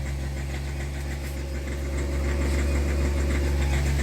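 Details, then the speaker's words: Hyundai Xcent/Grand i10 with a pickup problem. With no accelerator pressed, the idle climbs by itself to about 2000 and sticks near 3000 rpm, with a slightly uneven, rough-sounding beat: a self-accelerating idle surge. "தானாகவே rice ஆகிடுச்சு. ஆக்சிலரேஷனை of பண்ணிட்டேன். இப்போ 2000 இப்போ யாரும் oscillator அடுத்தவே இல்லை."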